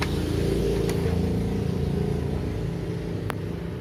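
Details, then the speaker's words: Epson L355 printer that blinked all lights and squealed at power-on, powered on again without scanner after reassembling the mechanism (rollers still good): steady low motor hum with light clicks as it turns smoothly; normal startup, squeal gone. "Tinggal coba kita nyalakan lagi tanpa scanner, apakah masih bunyi. That's it. Sepertinya dia sudah mau memutar."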